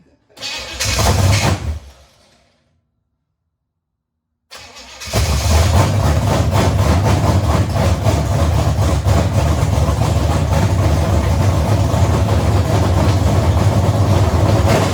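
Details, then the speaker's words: Chevy 283 V8 in a 1974 Chevy Nova, first start in 50 years after timing correction; short crank, pause, then settles into a deep steady even idle; running healthy. "fire this thing up man heck yeah it sounds so good"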